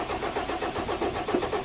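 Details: Cranking with no start on a 1991 Ford Explorer turbo diesel, sitting since July 2016: the starter turns it over in an even, steady chug but nothing fires.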